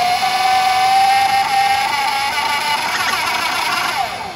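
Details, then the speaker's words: 72V custom Voloci e-bike with Boma MY1020 motor and Votol EM100 controller: drive whine climbs in pitch then turns rough and stuttering under throttle; owner suspects motor hall sensors. "yeah that still kinda messes up you can hear it"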